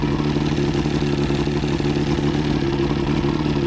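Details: Outboard test run after new head gaskets (prior overheat, head leaks), on water hookup: steady, even firing with no knock, miss or rattle; healthy, though water pipe leaks and little water spraying out.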